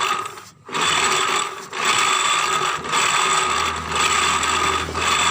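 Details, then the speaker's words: Bitpop scooter CVT case while riding: rough gritty growl, like rubbing, swelling and fading about once a second; on opening, the cause was a CVT running dry of oil because of a leaking seal. "Jadi permasalahannya ternyata karena kekeringan oli, bro. Olinya habis sehingga gesekannya banter banget karena tidak ada olinya."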